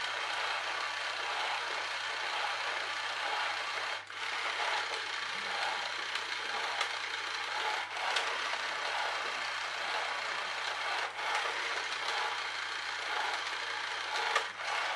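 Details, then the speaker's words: Fully reassembled charity-shop toy electric train: thin, raspy grinding from the drive with a sharp click every three to four seconds. A split gear slipping; it won't work without a replacement gear. "it's not going to work because we've got that split gear in there which I saw right at the very beginning"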